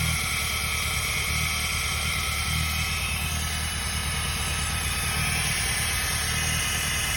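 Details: Peugeot 106 at idle: steady hiss and rattle riding over the engine hum; abnormal engine noise at idle, source unclear.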